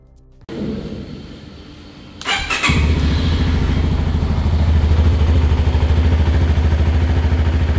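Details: CFMoto 300SR motorcycle at idle with a fast, even sewing-machine tick-tick, identified as loose valve clearance, a problem reported on many locally assembled bikes.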